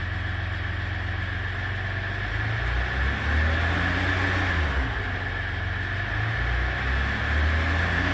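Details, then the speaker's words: 2015 Ram 2500 3.0L EcoDiesel at light load with check engine light and multiple intake swirl control codes; faint even whooshing induction noise over steady running, likely needs intake manifold replacement and carbon cleaning, unconfirmed. "It's got the Ecodiesel, and it's here because it has a noise in the engine under a light load."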